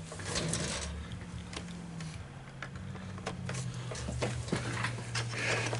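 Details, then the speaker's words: Coinco BA30B bill validator after belt change and reassembly, propped up as in a machine: short motor whir with clicks as it powers up and cycles the transport; normal reset, new belts running fine. "all right one push putting power to it and hear it reset"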